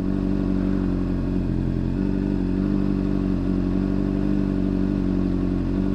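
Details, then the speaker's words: New 600cc motorcycle in first gear, clutch slowly let out while stationary: steady lumpy idle with a faint dip as the friction point hits, rpm barely changing, no knocking; slight normal bog at clutch friction point. "So you can see, as right now, you can hear the engine slightly bogged down as the friction point hits. You'll hear it, like slightly there."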